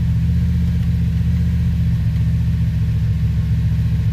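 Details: 2007 Pontiac Grand Prix GXP V8, first start-up after sloppy stage 3 cam with VATS and DOD delete tuned via HP Tuners; deep idle rumble with steady choppy lope, about four pulses a second. Normal idle.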